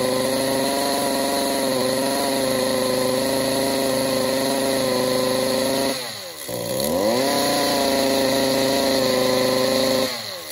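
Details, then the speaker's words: Stihl MS-192 top-handle chainsaw that won't idle or rev up runs at a strained, buzzy pitch that sags and struggles, before repair; exhaust gummed up, likely from too much oil in the gas. "we take a look at the exhaust here we can tell that it's just gummed up probably being ran with too much oil in the gas most likely"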